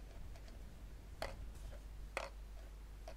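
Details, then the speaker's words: Cigman CM801 3x360 self-leveling laser level in auto-leveling mode with turrets free: sparse, light irregular ticks in a quiet room as the free laser turrets tap inside the housing; normal, turrets lock when switched off. "battito è proprio la torretta che batte all'interno perché è libera"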